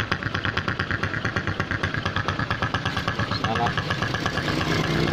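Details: Honda Supra X125 motorcycle: uneven, lumpy snoring idle about twice a second, not smooth; cause found as cracked engine head breather hose, split right at the clamp, disturbing the membrane and leaking vacuum.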